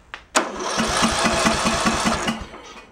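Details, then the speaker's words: Craftsman LT1000 tractor, probably early 2000s, overheated with lost compression, after engine repair, cranked with key off: even, steady chuffs about two and a half per second, each stroke equally strong; compression sounds healthy. "we'll turn the key off so it doesn't start uh we're just going to go crank and listen to it make sure the compression sounds"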